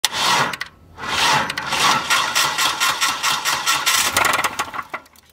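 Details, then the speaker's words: Running engine with a loud, rapid metallic knocking from the bottom end: rod knock from a worn connecting rod bearing, on a family member's car whose engine failed. "so basically that first noise that you're hearing is Rod Knock which is what happens when the crankshaft down"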